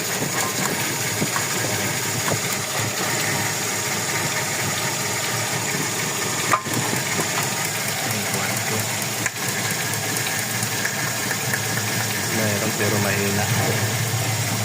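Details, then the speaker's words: Toyota Revo 1RZ engine idling rough and uneven with irregular stumbles and a missing beat about twice a second; misfire traced to number four, whose injector still shows pulse, with spark plugs and compression being checked. "Mim-missfire siya eh."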